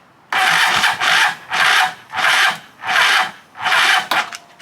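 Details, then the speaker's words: Free stand-up jet ski after starting fluid and a little fuel down the choke: about six even cranking strokes then a quick stop, no firing; cranks but won't start, still on the weak EverStart battery. "Well, it's cranking over nicely there for about 1 second. Alright, I put a little fuel down the choke."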